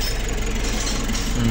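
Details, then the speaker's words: Nissan NV350 diesel after a heavy PMS with all filters replaced, warming up after coolant was removed, idles low and even with no misses or bangs; it misfired and banged before servicing. "tahimik na tahimik ang andar oh. Pinong-pino mga paps."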